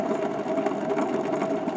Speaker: okay so the input shaft that one definitely has a bad bearing too I don't if you can hear that pretty nasty